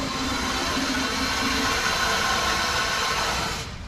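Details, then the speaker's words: RPZ backflow preventer on a demonstration wall: steady rushing hiss of water dumping for a few seconds then cutting off, relief valve opening as inlet pressure drops during pressure fluctuation. "we watch our test kit here when we lose this Inlet pressure our gauge will drop when that gauge drops to the point where the relief valve opens the water is going to flow back through our relief valve"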